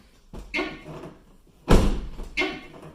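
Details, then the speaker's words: Van door swings open with a harsh scraping rub and a thud as its edge catches the fender, the two now smashed together. "there you go you can see as you can see the like they hit the door defend something but now they're smashed together"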